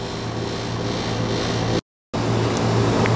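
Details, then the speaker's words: American Standard Allegiance 12 condenser after replacing a bulged 55/5 run capacitor: a steady low hum with even fan rush and no rattles or buzzing. It is running normally. "right guys the [Music] American Standard Allegiance 12 is in good shape and good to go"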